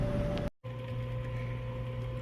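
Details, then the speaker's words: Circulator pump feeding wood-boiler hot water to a converted gas clothes dryer, running during the dryer's first test: even, steady low electric hum with faint constant higher tone, no rattle or grinding. Normal running. "all right circulator pump is running I can feel it I can hear it if you can hear that so that's good"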